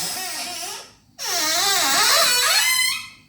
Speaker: Your kitchen cabinet doors squeak really loud and you need to fix it, and you need an easy way.